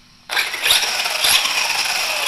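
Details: Kyosho Mad Van VE RC truck after ESC calibration: sudden high-pitched whir as the motor spins up and holds steady, no grinding or stutter; motor and controller working normally.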